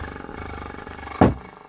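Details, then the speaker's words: 300 W RMS subwoofer removed from its cabinet, amp tested fine on another speaker: raspy low buzz riding on bass notes, then a sharp burst, coming from the speaker not the box; voice coil rub. "there's definitely something weird going on and yeah I mean the sound is definitely definitely coming from the speaker not from the box"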